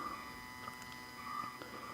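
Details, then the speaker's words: Homemade cosplay boombox with music-reactive lights: a thin steady high whine with faint buzzing once the lights turn on, a ground-loop problem blamed mostly on the spectrum analyzer. "now we're going to encounter my uh my ground Loop problems the reason I put a party mode on this is because once the lights turn on this thing gets super noisy"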